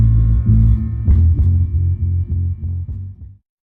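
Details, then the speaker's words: Rockford Fosgate P3 subwoofer at low test volume after gluing the rattling spot and drying overnight: deep bass plays cleanly with no buzz or rattle. "Here is just a little bit volume. It's about the same amount I gave it when I was testing it. As you can hear, it's I'm actually pretty happy. No noise."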